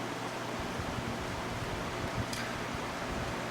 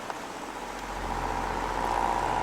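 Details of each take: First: Mastercraft CTC90 circulator fan on low, once completely seized, first start of the season: soft, even rush of air over a faint low hum, no rubbing or rattles; normal fan running smoothly. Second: Household electric fan with electronic controls, first run of the season: quiet motor hum with a thin whine rising and growing louder over a few seconds; noisy oscillator mechanism, owner suspects it needs oil or grease, still works.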